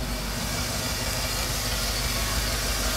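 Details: 1988 GM OBS truck with a junkyard 6.0 LS and 4L80E swap, at idle: an even, deep exhaust burble with a lot of hiss and no popping; normal idle.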